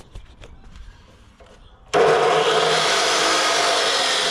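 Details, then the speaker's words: 2,200 W drop saw run from an EcoFlow Delta 2 battery power station spins up with a harsh, loaded roar the unit can't sustain; it draws more power than the station supplies, too much for it. "2,200 watt drop saw. So that's what it can draw. Alright, that's too much for it."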